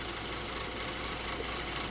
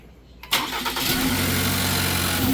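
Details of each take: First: 2020 Ford Transit Connect idling smoothly after repair of false overheating codes P1299/P017D and rough idle, traced to the alternator (LIN wire suspected shorting); steady even hum, no knocks or misses, charging 13.6 V; normal idle. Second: 2020 Ford Transit Connect just started: a low, labouring idle that sags as if about to stall, with the temp gauge pinned hot. Codes P1299/P017D; it sometimes shuts off. Cause was a bad alternator, not the sensor or PCM.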